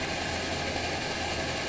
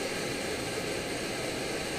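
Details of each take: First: Omnifuel stove burner at full flow with OmniDawg silent damper cap after preheating: steady roar with a faint very rapid chug underneath, caused by fuel pulsing as it vaporizes, normally masked by the flame plate. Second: Omnifuel stove burner, preheated on stove fuel, with OmniDawg silent damper cap, fuel knob turned almost closed to restrict flow; smooth even hiss-roar with the pulsing chugging eliminated; steady burner roar.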